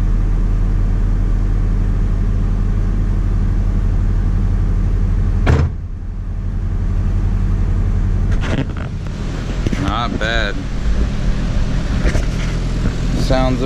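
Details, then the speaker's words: Nissan 240SX starting and idling after a fuel tank swap with a new pump, with the microphone at the rear; a steady drone, a brief dip, then a smooth, even idle. The install went well. Normal start and idle. "So yeah, install went good. fires up, sounds good."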